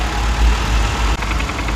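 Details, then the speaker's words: Lexus 250 (Toyota engine) idling cold: a fast, light rattling tick from the oil pan area, worse in gear, caused by worn balance shaft gear backlash; the new gear has no clearance. "丰田车的2.0、2.4、2.5、2.7，它都有这个平衡轴异响的通病。如果你的车出现这个冷车的时候，特别挂档的时候有哒哒哒哒，从油底格那里出现这个异响的话，一般都是这个平衡轴的异响。"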